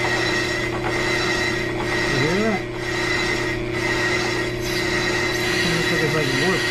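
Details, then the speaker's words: Brake lathe resurfacing a new slotted, drilled Jeep Grand Cherokee rotor after crystallization on pads and rotors: steady spindle drone under an even, dry rasp like sawing wood; the bit is now cutting evenly across the rotor. "Creo que como se dice empieza a cortar pareja. This is so cool, guys."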